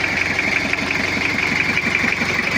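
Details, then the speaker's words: Toyota Kijang diesel with overheating history, cylinder head previously rebuilt and cracked chamber replaced, worn scored liners: cold idle with even firing but hard, harsh-edged knock; cold fuel and not at operating temperature, uneven compression suspected. "ini posisi dingin suaranya masih agak kasar soalnya solarnya masih dingin menggumpal dan belum ee suhu kerja"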